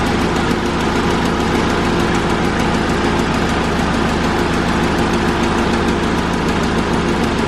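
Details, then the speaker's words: 2001 Honda Civic (7th gen), engine idling while A/C system is recharged with refrigerant: even, constant idle drone holding steady with no surging or knocking; normal idle. "So on tap right now, you can hear the Civic running in the background."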